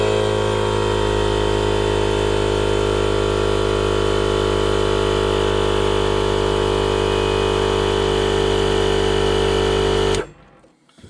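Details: RIDGID 18V cordless air compressor, Gen5X brushless motor, model R0230, run with its safety valve pin pulled: steady, even motor drone at constant pitch while pumping, then a clean cutoff; the compressor runs properly.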